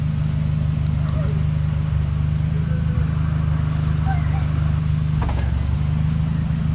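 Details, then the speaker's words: 1989 Nissan 240SX rear differential, which had been bumping when freewheeling, now rolling in first gear at idle and then with the clutch pushed in: steady low idle rumble with no clunk or bump, likely normal. "it's in first and rolling just idling and it's not making any noises so I'm gonna push the clutch and see if it makes any counter noise"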